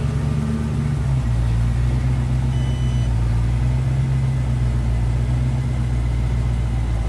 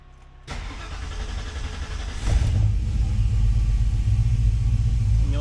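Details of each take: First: 1966 Mustang with roughly 289/295 cubic inch V8, newly fitted Aces Killshot EFI replacing FiTech, untuned and still learning; smooth steady low drone while cruising slowly, no misses, ticks or surging, running evenly. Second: 1966 Mustang on FiTech EFI after four to five years, primed then started; uneven stumbling idle with flat, lopsided beat and heavy shaking, misfire as back-corner cylinder gets little or no fuel due to intake design.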